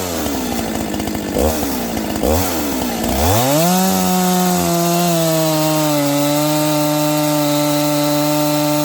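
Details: Freshly built Husqvarna 268XP chainsaw with 24-inch bar, first cuts during break-in: revs bog and recover in the cut, slowing down and speeding up, then settle to a steady high scream as it wakes up.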